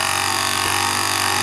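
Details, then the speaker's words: S-933A desoldering pump after replacing a shorted triac that made the tip get red hot: steady even hiss-whirr of vacuum pump sucking up melted solder without stutter; working normally. "ready to be sucked up and then pop it and it seems to work pretty good"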